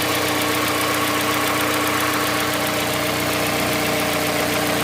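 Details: Mazda CX-5 2.5 Skyactiv petrol, cold start and warm-up: a light, fairly even tapping about 220 a minute over a steady idle, starting around 50 seconds after start and stopping once warm; cold-start knock, source unknown, owner asks if normal.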